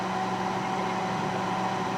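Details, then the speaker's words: Panasonic first-generation inverter microwave: steady fan and turntable hum with a faint tone near 200 Hz, but no magnetron buzz; not heating at all, magnetron giving no output while inverter seems active. "but I'm not hearing the uh sound of the magnetron coming on so something appears to be [Applause] wrong let's see no it's not heating at all"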